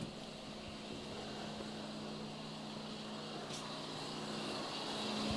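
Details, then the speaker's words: Seat Ibiza Cupra 1.9 TDI PD (BPX) diesel track car, sat unused for a while, battery just reconnected on the ramp: radiator fans on flat out with a constant loud whooshing rush and steady hum, no cycling; they were confirmed wired in to run permanently. "as you can hear, fans are on flat out. Just double check, make sure there's not a switch inside and they've not been wired in."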